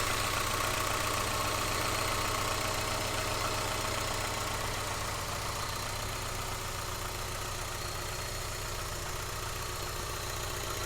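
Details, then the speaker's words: Renault 25 barn find: steady, even idle with a smooth low beat and no knocks, misses or hunting, running crisp and normal. "Forget how crisp that runs."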